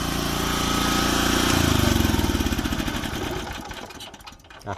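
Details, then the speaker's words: Old Japanese-import Komatsu PC01 (PT01-1a) mini excavator with a Honda four-stroke petrol engine, 1,116 hours, weak battery that doesn't hold charge. A quick catch on the starter, then an even putter that settles; starts easily and runs normally after start. "สตาร์ทโอเคับเครื่องอ้าสตาร์ทอีกทีแบตเตอรี่มันน้อยอ่ะเตรี่ไยังน้อยอยู่โดยรวมทั่วไปก็โอเคนะครับระบบดีอ่ะ"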